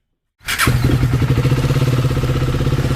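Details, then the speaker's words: KTM Duke 250 single after engine rebuild (tappet cover refitted, fully reassembled): starts and settles to an even, steady idle thump with no ticking or rattle; now completely silent and fine. "एकदम silent हो गई है। अब कोई आवाज नहीं है। बिल्कुल फाइन कंडीशन।"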